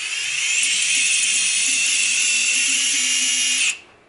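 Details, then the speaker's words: Emax 2205-2600KV brushless motor on 210mm quad, Littlebee BLHeli 20A ESC, DampenedLight enabled, bench spin: thin high whine nearly steady then cutting out, stutter; traced to over-tightened motor nuts, loosening slightly makes it go away. "it seems that basically what I did is if I loosen up the nuts on the motor enough so not quite enough where it's wiggling maybe slightly the problem goes away"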